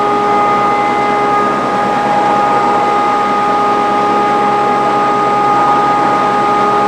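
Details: Grizzly G0458 18in open-arm drum sander, reassembled after breaking down: steady even motor hum, constant mid-pitched tone, soft airy rush from its blower; runs smooth and healthy.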